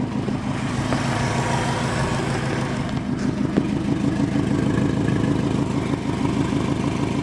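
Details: Subaru WRX with FP Blue turbo that spooled about 1000 rpm later than it should during tuning: fast regular ticking puff over the exhaust note while running; exhaust leak confirmed, boost leak also suspected.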